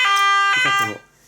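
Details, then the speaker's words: Nugelec type 2A fire alarm panel test: loud, steady electronic evacuation alarm tone sounding cleanly for about half a second, then cutting off; the sounder works normally. "Donc c'est une scène qui est très forte, hein. Il n'y a aucun souci,"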